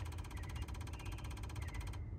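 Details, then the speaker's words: GM vehicle with engine off, hood open: the EVAP purge solenoid commanded on by a scan tool actuation test clicks rapidly and evenly, about 13 times per second, then stops when control is released; normal operation. "now you can hear that clicking that is the solenoid"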